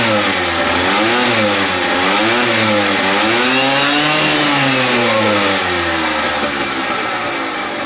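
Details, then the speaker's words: Pulse Force 50cc GY6 two-stroke scooter after new fuel line, petrol heavily mixed with two-stroke oil after sitting a while: crisp ringing two-stroke buzz rising and falling cleanly with throttle, no misfire or knock; runs healthy. "all right guys that sounds amazing i've got a lot of two-stroke oil in there the petrol is literally red"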